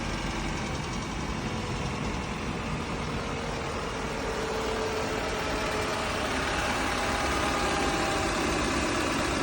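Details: Audi A5 after engine noise repair: steady, even petrol idle with a light fast injector tick and no knock or rattle; normal idle.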